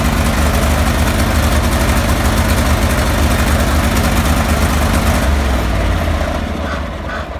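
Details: Cub Cadet 3184 lawn tractor with Kohler CH18 18 hp engine: loud, low idle with an uneven, lumpy beat that never settles into a steady rhythm; rough idle, cause not yet found.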